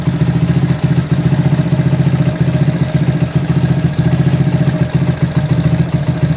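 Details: Honda CB100 K3 engine with CDI and non-original carburetor on an aluminium manifold, before rework: quick idle thump with a clattery mechanical rattle on top; compression good but engine noisy and idle won't come down.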